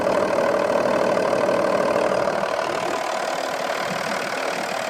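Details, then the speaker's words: Audi A6 C5 with a 2.5 TDI V6 BDG diesel after repair: head gaskets, hydraulic lifters and needed rockers replaced following bubbling into the intake and a blown head gasket. Smooth, even idle with no bubbling in the coolant tank; engine running properly. "Так, мотор работает очень ровно. Сейчас в бачке не булькает. Тут всё хорошо,"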